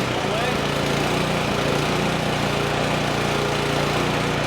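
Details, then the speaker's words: Craftsman Select 26 snow blower (model 31AM6C2FB93, engine 675-WUB) at about half throttle, warming up after a fuel flush and carburetor work: smooth, steady single-cylinder running with an even exhaust beat. A little smoke is likely leftover bad fuel burning off. "okay so we're back up and running"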